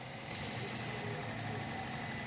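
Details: 2010 Toyota Corolla GLi petrol engine after misfire repair: idling steadily and evenly, with no stumble or missed beats.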